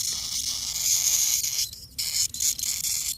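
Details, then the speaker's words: Maple sap line on a vacuum pump, section not flowing: a thin high hiss comes and goes between handling scrapes, air sucked in through small holes in the line; several holes found, section may need replacing. "As soon as I said that, I heard a sucking."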